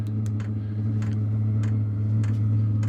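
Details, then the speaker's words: Wippro 8 kW diesel heater in a shop bus, turned up from level 2 to 3 of 10: sharp, regular fuel pump ticks about every half second, getting faster, over a steady low hum; slight rumble seems to go away; normal running. "so so you hear the fuel pump clicks get a little faster and I don't know if you'll be able to hear that vibration but it does sound like it goes"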